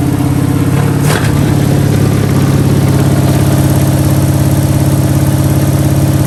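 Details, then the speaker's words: 1971 Pontiac Ventura Sprint V8, fuel poured into carb bowl via vent tube: catches and runs a steady lumpy idle about three and a half pulses a second, then runs out of fuel in the bowl — fuel starvation stall. "all right hello and she ran out of fuel in the bowl"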